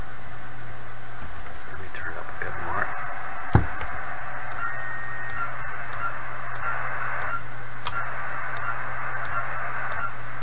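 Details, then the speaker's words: 1980s Kenwood TS-430S transceiver after Kenwood relay-contact fix procedure: steady, even hiss with no crackling or dropouts, one brief click; remaining volume variations are antenna signal level, not the radio. "let's give it a moment here so i i think the variations in volume there are from the signal level on the antenna now not the radio anymore"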